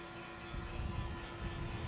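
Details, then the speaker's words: 2007 Liberty XL-2 airplane parked unflown since about 2016, electric flap motor running flaps to 30 degrees and back up: steady motor tone over low mechanical rumble, no binding or grinding; flaps work freely, normal. "Sounds free and clear. All right, we got 30 degrees. Bring the flaps up. All right, so trim works, all the radios work, the flaps work, everything here works"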